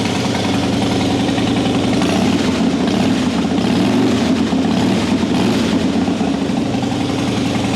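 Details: 2003 Harley-Davidson Softail Deuce, 400 miles, previously a crank-no-start; after repair with fuel pressure about 55-60 PSI, in neutral: steady even rumble, smooth idle, no misfire or surging; normal idle.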